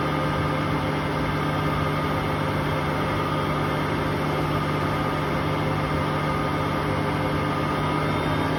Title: Hotpoint Aquarius WMA58 washing machine || Bad bearings at 1400 rpm